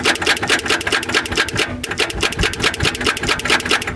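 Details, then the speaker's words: 1971 Ford Torino 500 long parked at a farmstead, jumped from a battery thought to be weak: fast, uneven chattering clicks about twice a second. The starter only twitches and cannot spin the engine, likely due to the poor battery. "oh I don't think it's a great battery but uh she"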